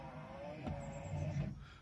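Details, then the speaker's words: 2005 Hummer H2 front windscreen wiper motor before replacement: low rough motor drone with faint whirring that rises then fades; worn wiper motor noise suggesting it's time for a new motor. "[Music] if you own a home eh - and your wins front windscreen wiper motor sounds like this"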